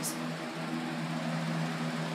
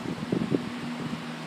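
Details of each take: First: Small fan motor running: steady hum under a rough grainy rumble; worn motor bearings suspected, unconfirmed. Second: Household fan, made December 2010, after repair and cleaning, running its two-hour cycle: soft, even whirring hum with a couple of light bumps early on; spinning smoothly and healthy.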